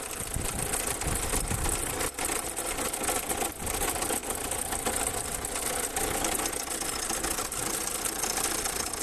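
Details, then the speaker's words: Car that sat for about four days now idles with a fast, even, crisp ticking knock riding over it, a deep internal knock that suggests it needs a new engine; exact cause unknown. "customer States my car sat for a few days and now it sounds like this sounds like it's time for a new"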